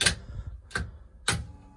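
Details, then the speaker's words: Nissan 280ZX on MegaSquirt, key cycled with fuel pressure sensor fitted and regulator set near 45 psi: three crisp clicks then faint low pump hum; normal priming, pressure builds but then drops. "how the pump really prime up and build some pressure and boom you see we have pressure"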